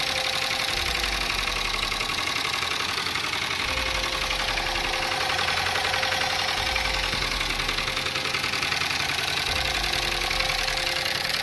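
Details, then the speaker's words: Dodge Durango 5.7 Hemi, loud ticking and dumping raw fuel into the catalytic converter: hard, sharp valvetrain ticking about three to four times a second over a rough idle; head pulled, broken rocker shaft found as the cause. "oh [ __ ] that's broke holy crap that's what's making that hard ticking"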